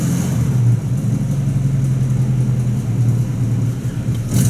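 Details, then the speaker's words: 1950 Buick Roadmaster, converted to negative ground with solid-state ignition replacing the points and a new gas tank, first start, cold: deep, steady low rumble with an even beat and no misses; normal cold idle. "she is cold but uh obviously not running too bad yeah all right so uh i would call that a success"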